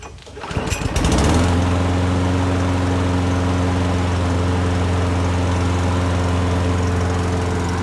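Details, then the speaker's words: Toro Recycler Personal Pace push mower that bogged down while cutting: steady but slow, low-pitched run at about 2600 rpm instead of roughly 3200 rpm, due to a bent governor arm tab. "right guys so it is running a little bit on the slow side i can tell that just by listening"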